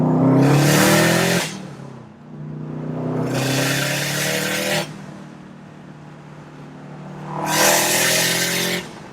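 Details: Subaru STI after the external wastegate exhaust leak repair (new EWG up-pipe and gaskets), with the blow-off valve trumpet missing: strong revs rise and fall, each lift-off followed by a sharp blow-off whoosh; it is making boost again and runs healthy.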